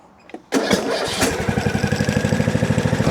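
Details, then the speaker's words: John Deere D110 mower, battery under 10 V, new air filter, before coil replacement: quick crank catches at once, even single-cylinder putter; started fine; normal start and idle. "Honestly, it seemed to start fine."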